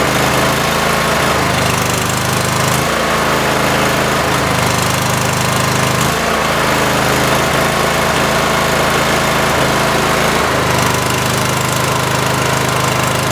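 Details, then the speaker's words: Cub Cadet small engine before carb rebuild: runs unevenly, dropping out every second or two; owner suspects a bad coil and plans a spark tester on each plug; engine misfire. "gas so that kind of leads me to believe that maybe I have a bad coil"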